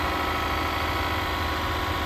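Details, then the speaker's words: 2024 Mazda CX-90 inline-six, cold start at about -20 in Edmonton, heard at the engine bay: a steady, even hum at a slightly raised idle with no knocks or misses. This is a normal cold-start fast idle while the engine warms up. "revving up a little bit to warm up."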